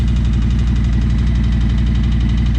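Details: 2020 Harley-Davidson Road Glide Limited, just after fuel filter replacement: a strong, even, lumpy V-twin idle with a steady loping beat and no knocks or misses. Sounds healthy.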